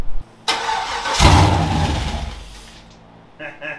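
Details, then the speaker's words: LS engine with stock 2003 Silverado fuel system in a 1954 Bel Air rat rod, start with mismatched mass airflow sensor plug: cranks, catches with a loud roar, tach moves, then revs sag and it dies within about two seconds. "And for the record, the tack even moved, so that's awesome. It died right away though, I'm not surprised."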